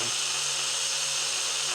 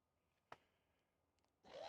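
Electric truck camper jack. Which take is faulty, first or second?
first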